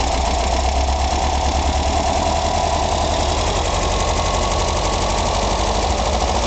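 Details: Engine idling after a recent valve adjustment: steady, even knocking that persists unchanged. Cause unknown.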